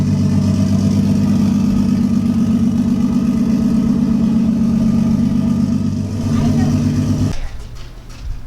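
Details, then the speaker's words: Lexus IS300 with a 1JZ engine at its first start: loud, lumpy running with a stumbling beat about four times a second, a misfire caused by a failed coil pack that was later replaced. "right guys that initial start that you heard is great but it was actually with a failed coil pack so i went ahead and purchased a new one from a local hardware store or local automotive store"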